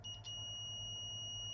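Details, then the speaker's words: Minelab GPX 4500 metal detector, worse after an earlier repair: the meter gives an unbroken high beep source to drain. The transmit driver MOSFET is shorted and dead, with an open circuit elsewhere, giving funny waveforms. "And there we go. Source to drain, short circuit, right? That's that MOSFET there is dead."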